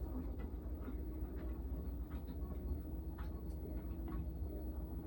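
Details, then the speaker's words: Samsung washing machine after replacing drum bearings and flange shaft: drum spins with low, even rumble and only faint ticks, no roar or ringing; normal spin. "Wow. It's not going ring like a horror movie. Got new bearings, new flange spindle."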